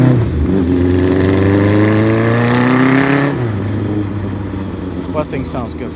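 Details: 1975 Kawasaki Z1 900 four-cylinder, restored to original cams, first start after work: pulls cleanly up through the revs then drops to a smooth, even idle with no knocks or rattles; healthy engine running normally.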